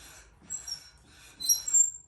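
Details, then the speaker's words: E-scooter wheel spun in the shop: two high scratchy squeals about a second apart, one per wheel revolution, and the wheel doesn't spin freely. Brake pads rubbing the rotor; a wrongly mounted wheel is suspected as the cause. "spin horrible so there's something going on here where the brake pads are causing this to happen"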